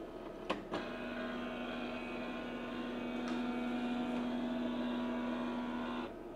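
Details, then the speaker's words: HP LaserJet M1132 MFP printer, reassembled after a fault where lights stayed fixed and the fuser didn't move (diodes suspected): steady mechanical whirring, even mid tone for about five seconds on power-up. Normal cleaning cycle. "yazıcımız bitti temizliğini yapalım açtık Evet Evet ses de geldi tamamdır"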